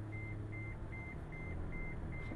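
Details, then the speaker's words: Toyota FJ Cruiser 4x4 at auction, cabin: clear high seatbelt reminder beeps repeating about every 0.4 seconds over a quiet interior because the driver is unbuckled; seatbelt warning chime. "esse barulhinho que tá fazendo aí por causa que eu tô sem o cinto de"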